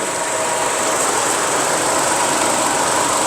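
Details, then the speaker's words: Engine idling after a universal fan thermostat was installed. The electric radiator fan cuts in with a steady loud airy whoosh over a quiet idle, coolant at 93°C with the switch-on set around 90°C. Normal cooling fan operation. "So you can see the engine is running, but you're not hearing the sound of fan. So just pay attention. The fan will come up at any moment."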